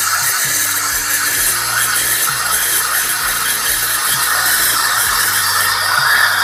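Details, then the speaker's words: Breville Barista Express with 3-hole steam tip steaming milk: loud hiss, high screech and irregular gurgles as the upper hole sits too shallow and sucks air, making big bubbles; fix is dipping the wand deeper. "Yeah, it's occasionally introducing those big bubbles."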